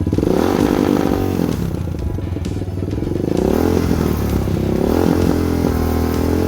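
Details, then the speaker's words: Lifan KP Mini 300 with a 4-valve ZS175FMN engine swap, air filter and exhaust pipe removed: revved hard toward redline with varying throttle, the note wavering and uneven instead of climbing cleanly. Runs rough up top; the carburetor still needs tuning. "definitely got to tune this carburetor which I already knew that but just wanted to show youall what it sound like at Red Line in different profiles on the uh throttle so"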